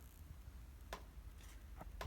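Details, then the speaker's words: Pasture electric fence charger while hunting ground faults: sharp single ticks about once a second over a quiet hum, pulsing normally with no ground on the line tested. "Yeah, I can hear it. Hear it clicking now. Yeah, no ground."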